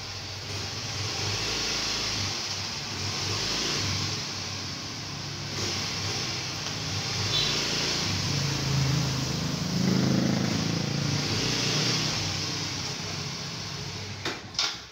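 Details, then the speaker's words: Automatic scooter take-off after sanding the clutch bell and cleaning the clutch shoes: engine note climbs smoothly with no shudder. The initial take-off vibration is gone. "jadi unit ini sudah kita tes dan getaran pada saat putaran awalnya itu sudah hilang Alhamdulillah ya"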